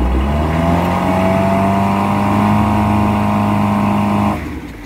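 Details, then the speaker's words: MerCruiser 3.0 in a test tank after a carb rebuild where debris was found, throttle slammed to full: revs rise, hang and labor briefly before dropping, a slight bog; suspected too much propeller pitch, unconfirmed. "a little boggy on the on the power up of course it is a 3.0 and depending on what propellers on it could be a little too much pitch"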